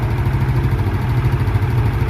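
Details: Automatic scooter engine idling with a steady, low, even thrum after valve clearance adjustment; the earlier klitik ticking was from excessive valve clearance; valve cover O-ring hardened and leaking oil.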